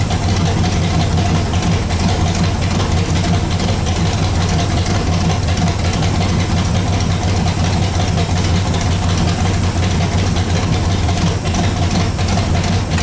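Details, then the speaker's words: Pontiac Bonneville (Pontiac 455) after freeing stuck Holley floats and raising idle; deep steady V8 rumble, no knocking or tapping; 40 psi oil pressure, minor carb diaphragm leak; normal idle. "I think we're pretty solid on this thing. This thing sounds great. Whew. Man, that's great."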